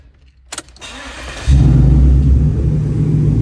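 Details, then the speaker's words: After replacing the power steering pump (not the cause; hose clamps also not the cause), LS4 5.3L V8 starts with a short crank and settles into a steady, even idle with no belt-side whine; sounds healthy. "Man, this thing sounds so much better."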